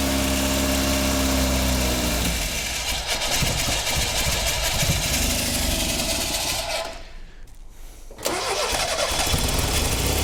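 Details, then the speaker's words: 1977 Triumph Dolomite, unrun for years, with the choke cable unhooked and held by thumb; it catches on choke, then sags and cuts out when the choke is released and throttle applied, won't idle. "right so we've got a bit of a problem here idling the car does not want to idle as soon as I let go of the choke and get on the throttle cuts out and this just kept happening"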